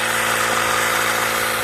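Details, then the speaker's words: Homemade Tesla turbine prototype, firewood-powered, spinning unloaded at full speed: high steady whirring with a buzzing rattle underneath, vibrating wildly. "And then Oh yeah, this thing is just freaking going mad."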